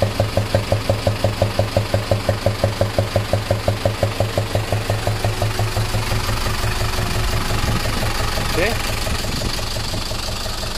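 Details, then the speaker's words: Box lorry diesel (14B engine) at idle, loud knock that appeared while driving loaded; sharp regular tapping near three knocks per second; a valve had lost its collet because valve clearance was too loose. "Hal inilah yang menyebabkan dia bunyi ingin Oking ah ah bunyi Jin Oke kenapa Det boleh terlepas di punya Spesialnya disebabkan Dia punya ini gif Hai giveaway clarence terlampau longgar"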